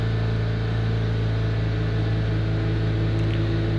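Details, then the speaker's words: 2005 Chevrolet Astra after replacing a fan relay, engine held at 3500 rpm: steady, even roar with the fan running on second speed; temperature drops about ten degrees in thirty seconds and no longer overheats; normal cooling. "escucha cómo ha entrado el ventilador en segunda velocidad quizás no alcancen la nota pero yo si lo percibo la temperatura comienza a bajar aún manteniendo el motor acelerado"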